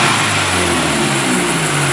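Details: 1999 Toyota Camry demolition derby car, running after rewiring and fan hookup so no longer overheating: loud steady roar held at high revs, no knocks, misses or rattles; engine sounds healthy.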